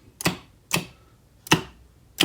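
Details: Star/delta forward/reverse starter on an FX5U PLC, after releasing the e-stop, which had cut the commons to the PLC, and re-bridging the relay outputs: four clean, sharp clicks every half to three-quarters of a second, no buzz or chatter; contactors switching normally.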